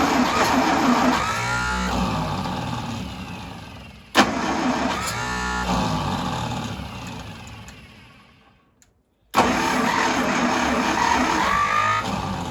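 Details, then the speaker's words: 1952 International Harvester L112 engine after fitting a new 12-volt ignition coil, fed gas and starter fluid: cranking bursts then it catches and runs on its own, not yet steady; new coil also getting hot, ignition downstream suspected. "So it will run, which is awesome. Didn't get it to run steady, but that's not too surprising because I'm baby feeding gas and starter fluid to it."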